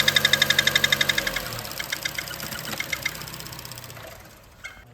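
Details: 2014 Chevy Cruze, whistling under load and a valve-train-like knock: sharp, regular ticking about four times a second over the running engine; loose spark plug leaking compression, fixed by tightening plugs.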